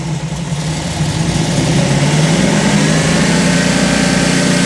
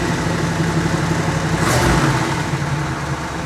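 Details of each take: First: 1957 Chevy convertible V8 built from a 4-door shell, timing check: initial timing 8 degrees, owner likes 36–38 total; revs rise flat and lazy, timing too retarded, needs more advance. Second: Warm V8 in a 1957 Chevy (4-door hardtop converted to 2-door convertible) after tune-up, timing set to about 38 degrees total and idle dropped; steady, fairly even idle with a brief blip, no misses or knocks, sounds healthy.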